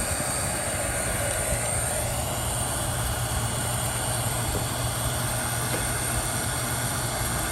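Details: Vintage Raychem Thermogun Model 750 heat gun, about 25 years in use, after rewiring its crumbling power cord and straightening crooked fan blades suspected of an earlier noise: steady even fan rush, constant low hum, no rattles or scrapes; running normally.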